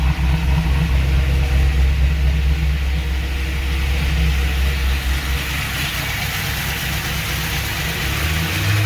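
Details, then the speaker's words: 2002 Pontiac Trans Am WS6 LS1 V8, 72,000 miles, first start after Tick Performance Street Heat stage 2 cam, long tube headers, off-road Y-pipe: runs rough, lumpy uneven idle with light top-end ticking, lifters still pumping up and sounding bad. "lifters need to pump up it's running but it's running like crap these lifters sound bad"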